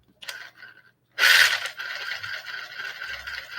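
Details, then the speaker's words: Traxxas TRX-4 RC crawler after installing a new metal gearbox rebuilt with TDK grease: sudden spin-up then steady high motor whine with gritty but even gear hum, sounding grunty; drivetrain runs normally. "The sound is good. I like that sound because it's really grunty."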